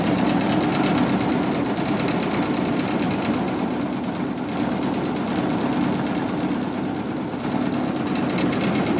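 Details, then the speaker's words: Barn-find 1929 Ford Model AA truck, first start in over 30 years, cold with no coolant: uneven, loping idle about three pulses a second, seemingly down a cylinder; rough idle, dead cylinder suspected, not confirmed. "there she goes. She is running. Definitely seems like we're down a cylinder though."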